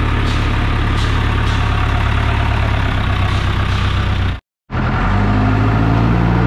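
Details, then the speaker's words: John Deere 455G diesel, cold, restarted after the flywheel-housing ground was cleaned and the starter sorted: settles into a steady, even idle after a short cut-out, no misses or knocks; running healthy. "well she fired back up brand new i think that was a combination of ground and starter and all kinds of stuff"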